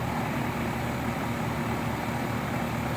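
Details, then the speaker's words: 35-year-old outdoor AC condenser running with a steady, even fan whoosh and no squeak or rattle after the dry fan motor bearings were oiled and the coil cleaned; previously squeaked horribly; normal quiet operation. "okay she's back up and running and that's about as quiet as I've heard"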